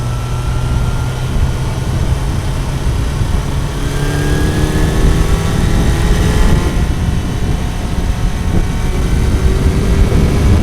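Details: Kawasaki four-cylinder bike, warm, after fixing cylinder 1 not firing (found via wet paper on the cold header; plug caps had been disturbed): picks up cleanly, revs up and down with a steady exhaust note, all cylinders firing, slightly rough, needs fine-tuning.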